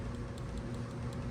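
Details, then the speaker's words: Traxxas Bandit RC car after fitting smaller pinion for overheating: faint light clicks about every fifth of a second as gears rock, showing slight free play; pinion-to-spur gear mesh set correctly. "That sounds perfect."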